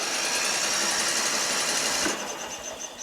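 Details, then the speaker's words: Murray Select 12.5 HP 40-inch lawn tractor, choked, in neutral, deck up: light quick even whirring crank with no compression pulses, engine spinning freely; zero compression, though key, solenoid and starter work. "So guess what, guys? I don't feel any compression whatsoever. None. It's just freely spinning."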